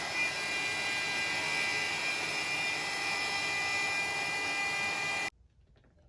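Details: Maslow M2 CNC router on its first working cut, after many mistakes and software changes: steady high-pitched router scream with constant cutting hiss, no chatter or bogging; the router is cutting normally.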